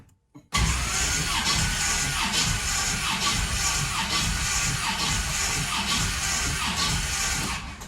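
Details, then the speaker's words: 1981 Oldsmobile Cutlass with Oldsmobile 403 V8 cranking: lopsided starter rhythm, one beat per cycle weaker and quicker, indicating one cylinder low on compression and not firing, with a rich carburetor. "Earlier, you heard like a ch-ch-ch, ch-ch-ch, ch-ch-ch. Great sound effects, I know. But listen to the way this one turns over now."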